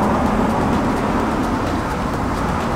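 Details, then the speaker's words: BMW E92 M3 S65B40A V8 at idle: faint regular metallic clanking knock over engine drone, caused by connecting rod bearings; engine opened from below, crank replacement possibly needed. "ただカンカン言うとる原因はあつですはい"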